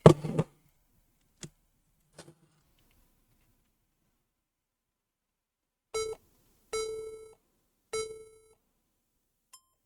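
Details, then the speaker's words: HP laptop with DDR4 8 GB PC4 RAM reseated, no display: clicks, then three long and two short beeps at startup instead of booting; suspected memory issue, bad motherboard found. "so obviously it's not working we have three beeps again and two short beeps so it's not looking good"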